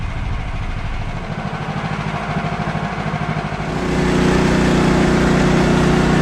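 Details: Bandsaw mill cutting 3/4 x 6 inch boards after the Pine-Sol blade lubricant was toned down; too much probably made the blade slip off the bandwheel. Engine drones evenly, then a steady heavier hum as the blade takes the cut, no knocks or chatter; healthy.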